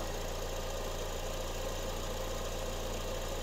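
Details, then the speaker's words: 2008 Honda CR-V after engine swap and cooling fan replacement, warm idle: fans kick on at 217°F dropping temperature to 203°F; smooth steady whir, no rubbing or ticking; normal. "okay the fans just kicked on at 217 degrees awesome I let it heat back up to that one more time they kicked on at 217 and it's dropping down to 204 203"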